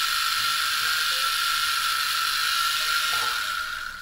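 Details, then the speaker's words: Wii U optical disc drive grinding with a rasping ratchety rhythm over a thin whine, still giving invalid disc after hair was removed from the motor; the motor is still suspected. "it still sounds awful it seemed to have spun longer for some reason but it still sounds awful still invalid disk"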